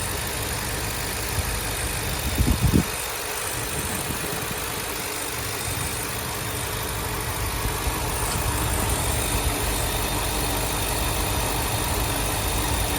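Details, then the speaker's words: 2023 Ford Super Duty 7.3 Godzilla V8 at idle after replacing a loose upper idler pulley with plastic spacer; tensioner and lower idler checked good; steady smooth low rumble, no knocks or chirps, sounds normal now, unclear if pulley was the original noise. "I checked the tensioner. Bearing was good. It was not loose or rattling. So, I don't know. Sounds good right now."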